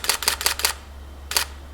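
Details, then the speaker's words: Nikon D600 shutter in normal continuous high mode, recorded from a distance: four quick crisp clicks in a rapid burst then one more, no drag or hesitation; normal shutter sound. "first of all I let's just hear what it sounds like if we have it as a normal continuous high from here so from this distance this is what it sounds like"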